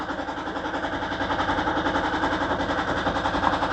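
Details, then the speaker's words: Toyota Prius: engine runs with an uneven, lumpy pulse of dull knocks about three or four per second; cylinders 1 and 2 dead because their injectors have voltage but get no activation from the ECM. "pero no hay activación. Miren, completamente no hay activación. todo el tiempo no hay activación para este cilindro. El uno y el dos no están trabajando ahorita."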